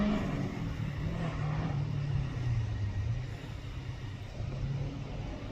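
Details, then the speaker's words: Toyota Starlet hotrod on slicks at a Curborough Sprint session, after chassis welds were repaired and fuel and ignition gremlins sorted: steady, smooth engine drone with mild rises and falls in revs, no misfires or stumbles, running normally. "That sounds a lot better."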